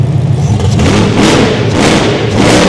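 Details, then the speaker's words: First start of a race-car V8 after fuel pressure and leak checks: sharp throttle blips rise and fall cleanly with no stumble or hesitation, responsive; healthy free revving. "It sounds nuts here. It sounds nuts. Oh, it's just idling perfect."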